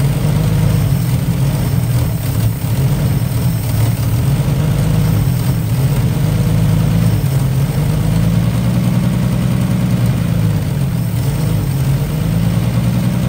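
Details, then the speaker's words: 1955 Chevy, still not drawing fuel on its own: smooth, even low idle rumble at steady speed, no misses, knocks or hunting; runs a few minutes, sounds really nice. "all right if you takeaways from this experience well first of all we were able to actually get it to run for a little bit longer so that's good uh here run for a few minutes she sounds really nice"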